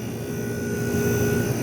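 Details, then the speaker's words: Compressor of a 1973 GM Frigidaire 11,600 BTU slide-out air conditioner (compressor dated January 1973) running. Smooth, steady low hum, no knocking or rattling. Blowing ice cold, full charge, suction line cold and discharge line hot. Normal compressor running. "but yeah it's blowing ice cold it's happy this compressor sounds"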